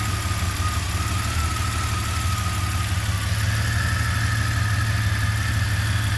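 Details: Jeep Comanche 4.7L stroker engine at idle: deep, heavy rumble whose beat keeps stumbling and never settles into an even rhythm; rough idle, cause not stated.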